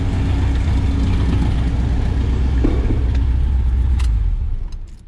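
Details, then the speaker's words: 1972 Chevrolet Nova SS small-block V8 idling on an auxiliary fuel system: deep idle with uneven lope and occasional stumble, a mild misfire; Berryman's treatment helped somewhat, spark plugs thought to be worn. "got a little bit of a misfire to it i did run some of that uh berryman's v12 through it yesterday seemed to help a little bit um i'm sure these plugs are just trashed"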